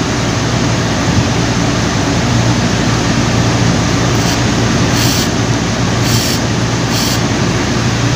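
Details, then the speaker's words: Air compressor running: loud, rough, steady drone at first start that fades after a while; worn belt slipping on the motor pulley. "ah naka-encounter na ba kayo ng ganitong problema sa air compressor niyo yan medyo maingay siya tapos maya-maya mawawala"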